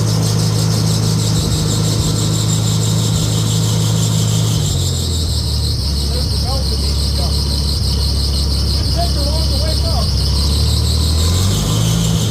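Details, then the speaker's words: Farmall tractor after sitting a year, restarted on 90 octane non-ethanol gas with choke; new water pump, alternator, radiator, hoses, battery; steady low idle, runs like a top, with faint irregular chirps from fan belt squeak, belt needs adjusting. "this runs like a top there's a little bit of squeak to the Belt there belt needs adjusted"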